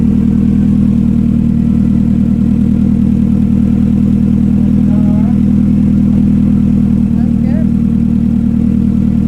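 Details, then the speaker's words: Turbo Hyundai Tiburon on MegaSquirt with new fuel pressure regulator, first start after sitting a while, not yet retuned; fast, even injector ticking about three to four a second over a steady idle, normal for a healthy engine. "hasn't been fired up in a while hear them injectors ballsy I don't have the laptop hooked up but it was running good"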